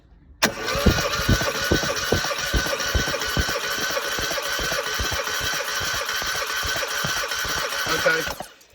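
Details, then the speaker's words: Compression test while cranking: an uneven beat with some strokes softer than others. One cylinder reads 70 psi and number four the same, blowing across the two, versus 185 on number two; blown head gasket, so it can't be tuned. "'ve got 70 pound on that one which is no good at all so let's uh try on another cylinder you can see what it should be if I do it in number four it's the same reading because it's blowing across the two cylinders"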